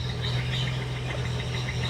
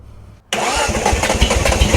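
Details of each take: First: Restored Datsun Z idling shortly after first startup, with the complete exhaust system now installed: steady, even, quiet petrol hum with no misses or knocks, likened to an electric motor; normal idle, though the gauge showed no oil pressure. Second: Restored Datsun Z at its first startup: the engine catches abruptly, then fires unevenly and lumpy for a few seconds without settling. The ignition timing is suspected, and it is adjusted right after; the cause is not confirmed.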